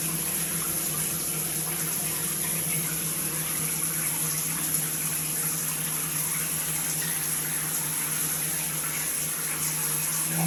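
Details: Multifunction shower system with poor overall flow: a steady low hum under rushing water, with slight vibration at the shower valve when the body jet function is used; cause unconfirmed.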